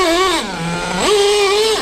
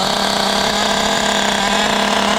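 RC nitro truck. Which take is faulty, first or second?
first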